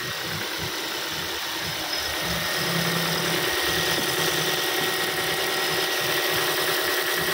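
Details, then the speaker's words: Ford Fiesta after fuel pump replacement, first start: starts right away, RPM rises, then smooth even idle with steady unbroken note, no misfire or stumble; fuel supply working normally. "kita starter ya ya Langsung hidup mesinnya RPM naik [Musik] Oke mesin sudah nyala"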